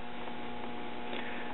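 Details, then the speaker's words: Circa 1939 Emerson 5-tube battery portable, 1.5V filament and 90V B+, signal-traced through the audio stages: only a faint steady hum from the speaker, no program; audio stage dead, possibly a leaky capacitor, output tube suspected. "Passage through the audio stages I can hear a slight hum in the speaker but that's it"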